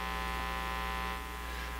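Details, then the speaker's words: National HRO Sixty communications receiver, tapped from the phono leads into a soundboard: loud, constant low hum with buzzy overtones, the same as from the speaker, masking any signal; mains hum, cause not yet traced. "You get the same hum you get out of the speaker, and really, you're not going to be able to hear anything above that, even if there is a signal there."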